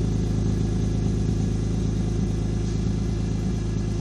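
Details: BMW E46 M3 rough idle. The idle has an uneven, lumpy beat with slight stumbles and some clatter; possibly a misfire, cause unclear.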